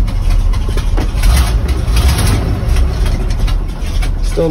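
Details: Truck rated to haul 26,000 lb, cold start at about 60°F after sitting, fuel pumped, out of gear, choke on, started without a jump: heavy low rumble, idle still lumpy but settling into a steadier beat; normal cold idle on choke.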